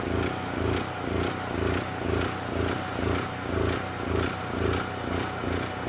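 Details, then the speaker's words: Onan 4000 KY generator after choke coil plate reset for 70°F ambient: starts and stays running but engine hunts up and down about twice a second, a steady surge from too-lean mixture; altitude knob already at 0 ft, needs richer setting. "This is generally a too lean status, meaning it needs more fuel."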